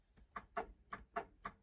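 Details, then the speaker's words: 1981 Ford Courier after banjo steering wheel swap: sharp, dry clicks about three a second as the horn is pressed, horn relay clicking, which didn't work before; horn itself not yet confirmed working. "hear the relay clicking that it wasn't working before so i can go chase it down and figure out my um um whether or not my horn's working"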